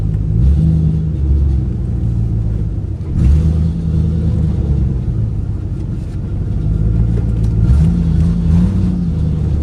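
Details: 2008 Ford Mustang GT before coil replacement, dealer reported 5 bad ignition coils: deep V8 rumble with a choppy, lumpy beat and uneven surges when revved; misfiring from failing coils.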